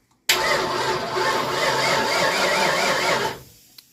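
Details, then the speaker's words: 1988 Ford Mustang GT, unstarted since 1999, with an MSD ignition: steady starter cranking at about three turns a second with no firing; the MSD is not sparking the coil, zero voltage measured at the coil. "Still not sparking. We've suddenly run into a problem of the MSD not sparking."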